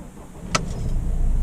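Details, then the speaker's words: Car engine with timing chain, 232,000 miles, cold start after new timing chain tensioner fitted (previously rattled for 4–5 seconds at start): catches after a click and settles into a smooth, even low rumble with no chain rattle. "Oh, that is perfect."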